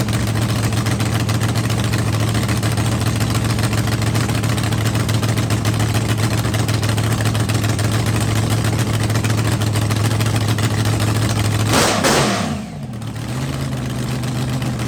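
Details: Rebuilt blown drag car on first fire-up after winter refresh, on the trans brake, RPM switch set at 6,000 for the shift solenoid: deep, steady lumpy idle with even low rumble, brief blip, settling smoothly; no milky oil, healthy.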